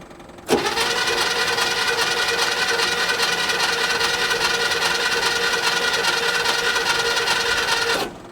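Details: 1972 International Harvester 1110 pickup, off the road since 2013: the starter churns steadily for about seven seconds but the engine never fires. Crank, no start; no oil pressure shows on the gauge, which may not work, and spark is next to test.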